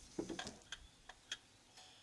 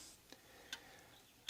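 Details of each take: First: Antique Vienna Regulator wall clock with the case bottom moved sideways. Ticks are unevenly spaced with alternating long and short gaps; the meter reads 40%, out of beat and will not run. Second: Antique Vienna Regulator wall clock after installing the movement and time-side weight, with the ticks amplified. Crisp, regular ticks with no limping gap; the beat meter reads 2%, so the clock is in beat.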